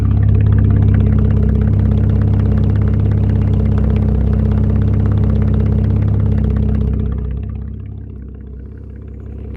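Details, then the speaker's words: 2012 Camaro after radiator repair, microphone at the exhaust tailpipe: steady, even low rumble with smooth regular pulses, no misses or ticks; no codes stored. Normal healthy idle. "Thing sounds good."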